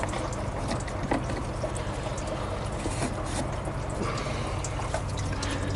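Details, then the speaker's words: 1986 GMC S15 with 2.5 Iron Duke engine idling, cap on at the filler: gurgling and trickling as coolant surges and bubbles; combustion gas pushing in through a failed head gasket. "no that's not a good sign you can actually hear gurgling man"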